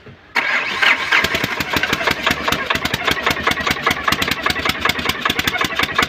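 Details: Diesel BA3 (as named) after piston ring, head gasket, nozzle and common-rail service; ran fine two days then a problem appeared: engine catches and settles into rapid, sharp, even knocking at idle, origin unknown.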